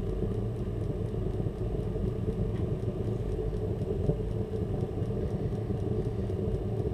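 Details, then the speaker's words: Burner startup after purge with oxygen sensor removed; fuel pump ticking faintly under an even low flame roar, no popping or surging, burning off leftover fuel from previous faulty starts; normal burner operation. "You can now hear the fuel pump. And you can hear the flame as well."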